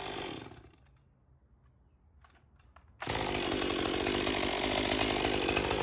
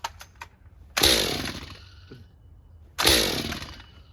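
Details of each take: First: Stihl MS201TC M-Tronic climbing saw, low hours, after no-start fixed by finding a broken wire: saw screams up to a steady clean high rev while cutting for three seconds, then drops to even idle; running healthy. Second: Stihl MS201TC M-Tronic climbing saw, low hours, plug found flooded: two pulls each give one sharp pop that dies without catching despite spark. A broken M-Tronic wire causes the single pop and no start.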